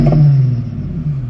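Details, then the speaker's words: Infiniti V36 with Berk test pipes, 241,000 miles, fully warm after coolant burping, thermostat open and heat working; deep throaty revs swell and fall cleanly with no rattles or misses, healthy warm engine. "all right well we got definitely got heat again thermostat is open thermostat it's normal let's give it a few revs to see overheat or anything like that"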